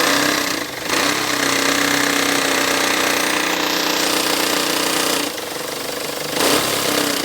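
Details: Peugeot Partner B9 HDi diesel: fast, rough, uneven rapping over a harsh clatter that rises as it revs; engine knock of unknown origin.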